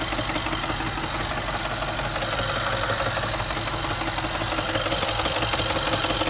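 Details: Range Rover, 60,000 miles, running: dense, regular ticking knock at about three per second riding over the engine; internal engine knock.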